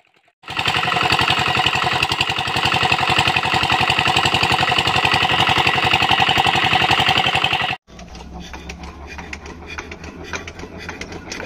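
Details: Diesel engine that would not start because no fuel was coming through, now running after the fix: steady, fast, even clatter with no misses or knocks. It runs perfectly.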